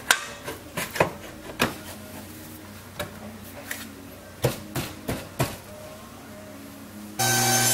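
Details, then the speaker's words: BMW 335i E92 front control arm rocked by hand on lift; irregular sharp knocks about three a second from loose arm with visible play versus a tight one; worn control arm ball joint, arms being replaced. "Yeah, guys, look at this one isn't moving at all, as opposed to the other one. It was just moving all around. You can just see the play in it and hear it."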